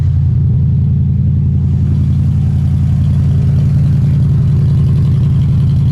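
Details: Old truck that sat for months, started with water added: low, lumpy idle with a steady stumble in the exhaust beat; one cylinder down, owner suspects a rear cylinder; misfire, cause unconfirmed.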